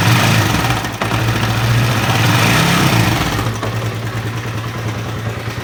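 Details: Honda CB150R idling with a coarse, uneven clatter over the low hum, easing as revs settle; mechanic hears a rough noise seemingly from the upper left of the engine, source unconfirmed.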